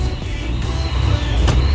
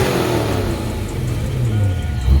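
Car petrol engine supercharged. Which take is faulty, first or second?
first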